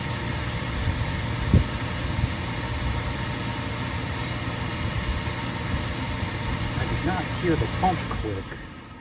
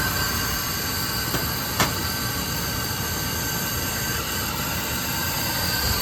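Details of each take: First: Oil-fired boiler that stopped after an oil delivery, after pressing reset: steady motor hum with no pump whine or flame roar, burner motor spins but doesn't light; dirt stirred up clogging filter or screen suspected, not confirmed. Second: Oil burner that stopped after an oil delivery, after filter and nozzle replacement and line bleeding: one brief tick then an even, steady roar with no pulsing or sputter; burner lit and firing normally.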